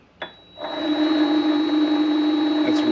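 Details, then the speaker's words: Vevor MX400 mini lathe headstock, gears without grease: steady motor hum with rhythmic knock three or four times a second; clunking and bearing noise believed from gears with necessary play on their shaft, grease to be tried. "basically no grease but all the clunking and the bearing noise I think it's just these these gears moving around and they can't be too tight because they're they have to spin on this shaft so they they have to have some play in them"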